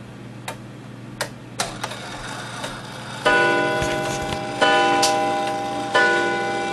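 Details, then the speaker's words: Gilbert 1913 count-wheel clock: irregular ticking and whirring, then three ringing gong strikes a second or so apart. The count wheel lever was flipped and the count wheel is not self-adjusting, so the strike is out of step with the hands. "Now the hour strike is going to be off because I had flipped that lever in the back. It's a count wheel and not a snail, so it's not self-adjusting. So it's probably going to do 9 o'clock instead of 8 o'clock."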